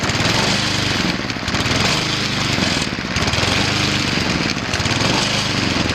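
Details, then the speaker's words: Cub Cadet ST 100 field trimmer mower after installing a fuel shut-off valve, started with an empty carburetor bowl: loud but uneven running, the note surging and dipping every second or two while the bowl refills. "I'm gonna turn the fuel flow on now it's gonna run a little shaky when I first started up because it's got to get all that fuel then to the bowl there's nothing in there"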